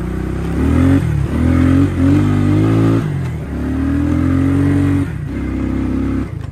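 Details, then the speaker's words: 1993 Suzuki King Quad 300 ATV after fixing its loss of power, riding uphill under hard throttle: engine pitch soars and sags as revs flare without pulling; the clutch is slipping and the clutches need doing. "well the good news is it's running a lot lot better however it does have some problems I don't know if you noticed that but when I was going uphill when I had really tromp on it the cutch was slipping so that's not good"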